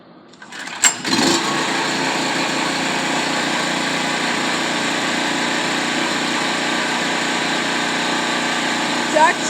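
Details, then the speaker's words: Free Echo chainsaw with the bar and chain removed, fresh fuel mix, primer bulb pumped and choked, no repairs needed: the engine catches after a brief pull and settles into a steady, high buzzing run without sputter; normal running. "all right I actually found that it had cured okay so as you saw I got the chainsaw running"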